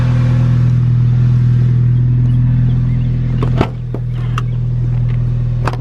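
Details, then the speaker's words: VW Jetta GLI 2.0T TSI test start after upper timing chain cover gasket replacement for an oil leak and coolant refill: smooth steady low rumble at idle, a couple of brief clatters around it, no knock or tick; normal idle. "All that's left now is just to start it up and test it."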